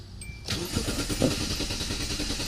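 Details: 2001 Hyundai Santa Fe, cranks but won't start: the starter spins the engine briskly and evenly for two seconds without a catch. The scan tool RPM reading doesn't move while cranking; the crankshaft position sensor has failed, with a melted wire found.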